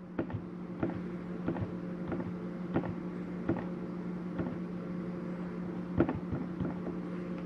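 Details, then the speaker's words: 2019 Forest River Salem 36BHDS travel trailer furnace switched on for heat: steady low fan drone with a few scattered clicks as it kicks on and settles into an even run; normal start-up. "you hear the furnace kick on. Now you'll notice when I shut your furnace off, it takes a few minutes for the furnace fan to cycle through before it actually shuts off."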